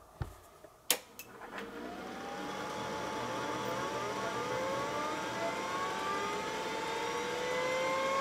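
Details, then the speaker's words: Microscience HH-1060 RLL hard drive on test bench at power-on: a few sharp clunks then climbing spindle whine; AutoPark cam, solenoid and spring head lock not releasing, so power-on sequence never completes. "now that noise you heard is the mechanical auto park and that's a system designed and patented by microscience it uses a cam a solenoid and a spring to go and lock the heads in place when the power goes off"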